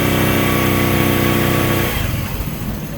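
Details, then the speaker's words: Honda CD70 after chain and sprocket alignment and tension adjustment: small single revs evenly in gear then settles; no slap, rattle or grinding, chain runs quiet and smooth. "अब हमारी यहां पे लाइनमेट बिल्कुल ठीक है और चैन देख लें हमारा बिल्कुल स्मूथ चल रहा है। चैन में किसी किस्म की कोई साउंड नहीं है और बिल्कुल बे आवाज है।"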